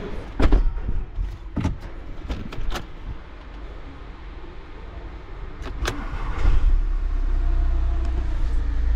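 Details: VW Multivan diesel, restarted after repair of a knock from the engine (refitted wheel, air filter, turbo connections): clunks and handling, then it fires and settles into a steady, even low idle with no knock.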